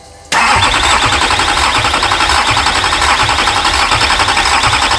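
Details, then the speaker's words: US-sourced Duramax diesel for a Patrol swap, first start attempt: starter cranks steadily with no firing; rail pressure falls just short of what is needed, and a loose injector connection was later found. "well it was so close to four there's another five npa and we would have been in business"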